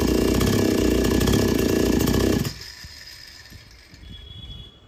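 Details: Chainsaw after carburetor H and L screws were fully tightened and the H screw backed out three turns, to fix not taking load and not starting after running. It holds a steady high buzz while cutting without bogging. Normal running under load.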